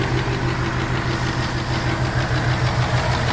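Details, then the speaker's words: 2018 Mustang GT Coyote V8 with custom cold air intake: regular light clapping tap about three a second at idle from the intake runner control valve (IMRC), stopping when its blue connector is unplugged; can be mistaken for a knock. "that sounds like a ticking in itself and can be kind of mistaken for some knocks"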